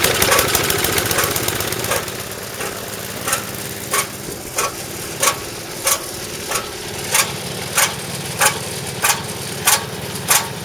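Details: Snowblower small four-stroke engine at idle with dirty old oil, before repair: sharp regular slaps about 1.5 per second; old damaged, broken drive belt chattering, clunking at the gap; a bent bottom piece also found.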